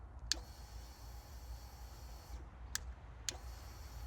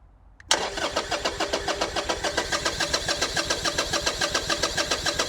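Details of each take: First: Salvage Harley-Davidson motorcycle, key fob recognized, fuel checked good, ignition cycled on and off; a click, then a faint high steady whine for about two seconds that cuts off, then more clicks: normal fuel pump priming, engine management light on. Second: Salvage Harley-Davidson V-twin with new battery, fuel pump priming, injector working and good fuel: steady starter churn about three and a half beats a second, building oil pressure but never firing; cranks, no start.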